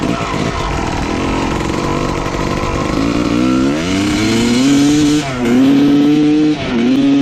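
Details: 1995 Honda CR250 two-stroke dirt bike with the old flywheel refitted: revs climb, then sag and stumble twice as the throttle opens. The bog is confirmed as caused by the faulty old flywheel.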